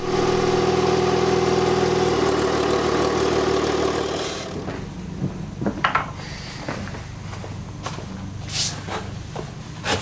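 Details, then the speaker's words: Citroën swapped engine with mismatched ECU, camshafts and injectors, after closing the drive-by-wire throttle's idle opening slightly with it unplugged: steady, even idle with a clean unchanging note, no stumble or hunting; normal idle. "et puis je l'ai débranchée et j'ai essayé de trouver une ouverture mieux adaptée aux besoins en air du moteur au ralenti en fermant un poil plus le moteur tourne parfaitement ça s'entend clairement je trouve"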